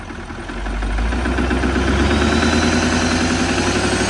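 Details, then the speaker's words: Wrecked L5P Duramax diesel bought sight unseen, started on a jump box and revved: rough fast rhythmic knock about four per second under rising clatter; suspected bottom-end knock, owners wonder if no boost makes it labor. "It don't sound right. Now, is there any chance it's because it's not making boost, the motor's laboring harder?"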